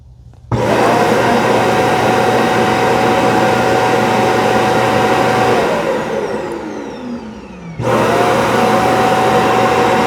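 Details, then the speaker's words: ECOVACS DEEBOT X2 Omni base station auto-emptying the dustbin, run from the app just after hot air drying completed; loud steady whooshing suction with high whine, winds down, then a second burst; normal auto-empty cycle. "We can do a self-cleaning of the actual base station. Let's empty out the dustbin."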